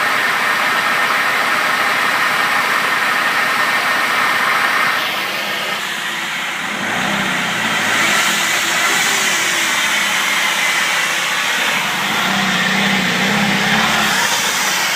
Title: Zafira Whining Noise